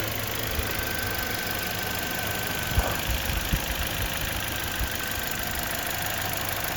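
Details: 2011 Toyota Corolla S at idle, stopped in drive or reverse, worse with A/C on, no check engine light: steady idle broken by uneven thumps and a stumble; intermittent cylinder 2 misfire from a faulty coil pack, fixed by replacing plug and coil pack.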